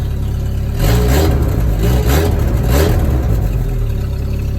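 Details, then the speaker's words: Chevy S10 drift truck in neutral after a tune-up with new plugs, wires and coil; loud, throaty free revs in three quick blips, then a steady idle with clean pickup and no misfire. It sounds much better than before. "That sounds a lot fucking better. Think we found the issue, boys."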